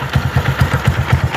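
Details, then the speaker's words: Motorcycle after replacing the cylinder kit for a piston-slap knock: even exhaust pulses about nine per second, no knocking or rattle, smoke stopped. Normal idle. "certo tranquilo pessal tá aí ó motorzinho pronto zero sumiu o barulho"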